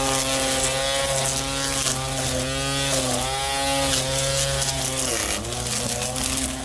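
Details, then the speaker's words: Ryobi P2006A 18V One+ brushed trimmer: even motor whine dipping and recovering as line meets grass, normal running sound. "My string was a bit too long, that's why it was noisy like this. So, now that's the way it sounds like usually."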